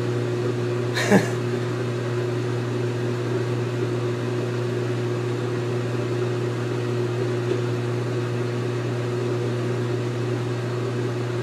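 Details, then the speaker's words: GE Infusor GTWN5050M0WS H.E. washer running empty, drain pump pumping out: a loud, steady low drone with one brief click, louder than the machine itself; operating normally. "Oh oh and I'll get a cry out that's working the drain pump is louder than the machine"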